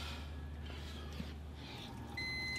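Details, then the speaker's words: Rinnai tankless water heater during descaling flush with gas off: steady high electronic beep; error code 11 alarm, below temperature and no gas so it cannot ignite. "okay so as you can see or you can hear that the machine is beeping because it's below temp and it's coming up with a number 11 because that's a failure it basically has no gas so it can't ignite"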